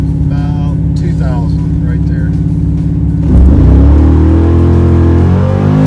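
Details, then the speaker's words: Chevrolet Malibu V8 with carburetor being tuned for racing: lumpy idle then firm clean rev from about 2000 rpm with no stumble or hesitation on launch; engine not fully warm at first test hit; smooth acceleration, much improved. "i'd say that's a lot better that's a lot better"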